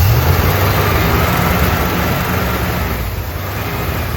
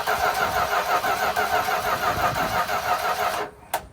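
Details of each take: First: 1972 Dodge W200 Power Wagon V8, first run in years, oil pressure reaching 20–40 PSI: steady fast idle that won't come down, nearly wide open; fast-idle cam stuck on its top step with a rusty screw, later freed. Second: 1972 Dodge W200 Power Wagon, first crank in years during revival, no throttle; even starter churn about three compression pulses a second, spinning freely without catches or knocks, a little fuel trickling from a line; normal cranking.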